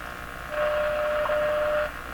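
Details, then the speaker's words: Hallicrafters TW2000 World Wide radio being checked for failing power supply filter capacitors: steady mid-pitched whistle with low hum and faint hiss when switching bands, not typical static for this set; abnormal hum and static, cause not yet confirmed. "I'm sure it's not supposed to make that noise when you switch bands they would have done something about that one too high that's not typical static for this"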